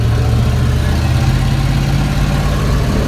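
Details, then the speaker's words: Pickup truck test drive after the driveshaft center carrier bearing repair with a new fabricated mounting bracket: steady low engine and road drone on 50-year-old tires, no driveline chatter like before. "Test drive after we got the drive shaft back together, and so far, he feels really good. Yeah, it's got 50-year-old crusty tires on it that are rickety as hell, but I'm not noticing a lot of driveline chatter like there was before."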